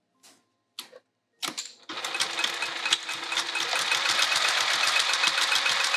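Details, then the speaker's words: Sewing machine stitching: after start-up clicks, a quick clattering stitch rhythm about three or four per second, slightly rough and clunky; owner suspects it needs a new needle and possibly oil. "I think I need a new needle and possibly some oil in my machine. I can just hear it a little bit clunky."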